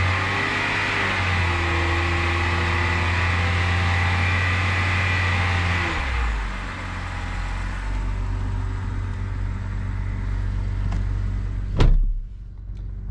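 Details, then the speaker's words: E70 BMW X5 30i with N52K inline-six at idle: faint constant whine over the engine, first suspected alternator bearings; not the alternator, source unknown, possibly AC compressor. "so on this car i'm noticing there is some noise that sounds like the alternator uh may be having some bearing issues"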